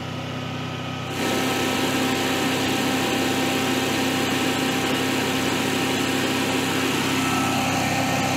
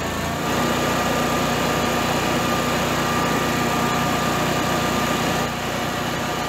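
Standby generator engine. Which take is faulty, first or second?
first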